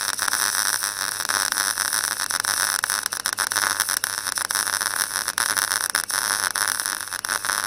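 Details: Clarke Pro 90 MIG welder, a beginner tacking and seaming a sheet-metal corner joint: a harsh crackle keeps breaking into uneven pops and dropouts instead of a steady frying hiss. The weld starts to sputter, so the welder stops.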